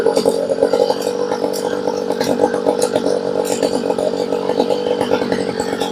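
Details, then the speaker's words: Homelite blower that only ran on choke, after carb rebuild, being tuned outdoors: two-stroke buzzes unevenly and stumbles, won't rev cleanly, with high-speed needle almost completely turned in, running lean; low side set for idle first. "And we had the high side almost completely turned off."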